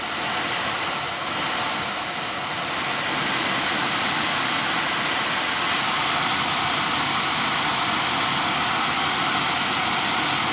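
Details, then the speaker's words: 2010 Audi Q5 blower motor that had stopped working, after cleaning and bearing work to cure squeak, plugged back into the car and run at very low speed: smooth even airy rush, no squeak; bearings sound healthy. "okay all the way down to really really low I don't hear any squeaking"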